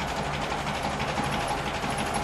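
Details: 1936 Alvis drophead coupe, all-aluminium, started after a year unused: even, busy idle with a steady mechanical whirr and no knocks or misses; idles smoothly.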